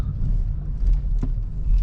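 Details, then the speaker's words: Chevrolet Cruze after treating the rear suspension creak with WD-40, driven slowly sideways over a speed bump: low road rumble, one soft thud, no creak or squeak from the rear; suspension now quiet. "It didn't make any sound, and I can't believe that's fixed it."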